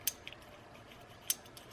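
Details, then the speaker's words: Vintage Lejeune women's bicycle rear freewheel, spun by hand during restoration: sparse sharp ratchet clicks with dry scratchy edge from sand inside; to be soaked in diesel, blown out and regreased. "Donc je vais l'enlever, ce pignon, voilà, et je vais le faire tremper parce que, alors on entend bien le cliquer, mais on entend bien aussi"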